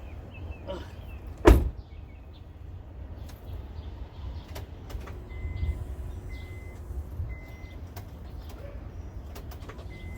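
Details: 2007 Honda Civic with replacement engine, after fitting the missing engine ground: quiet relay clicks and soft chimes, then the engine cranks, catches and settles into an even normal idle.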